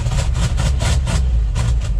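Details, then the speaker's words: 1969 Ford F-250 Highboy, tired 360 V8 smoking heavily: stumbling idle with choked pulsing and dull thumps, struggling to stay running; muffler believed plugged, restricting exhaust. "There, it's kind of idling. Uh-oh. Found the problem. I think the muffler's plugged up."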